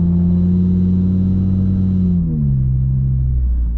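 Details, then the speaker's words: VW Golf 2.5 five-cylinder, 09G automatic, with 034 density engine mounts and billet dogbone, in-cabin while cruising around town at about 20 mph near 1200 rpm: heavy steady low boom that eases on kickdown; stiff mounts transmit drone below 2,000 rpm. "but anything under 2,000 cruising at least on automatic I 09g you're going to hear that little bit of mvh in the car there's no way of getting around it at all"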